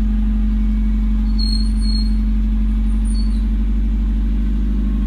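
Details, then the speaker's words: Car started on its first day after sitting a long time, using a dead battery reconditioned by flushing with boiling water; engine holds a steady low idle drone with no stumbling; normal idle. "Starter nyala. Ini hari pertama ya. Setelah sekian lama nggak nyala nih mobil, coba nyalain, nyala."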